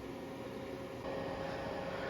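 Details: Tripp Lite Smart LCD 1500 UPS running after battery replacement: soft steady fan hiss with a faint tone near 500 Hz, even throughout; cooling fan running normally.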